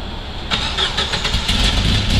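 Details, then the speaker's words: Petrol engine restarted after a Seafoam intake cleaning soak: catches and settles into a rough idle with a sharp ticking puff on the exhaust from a small exhaust leak. "happens all right I got a little bit of an exhaust leak otherwise it' be coming out a little bit darker"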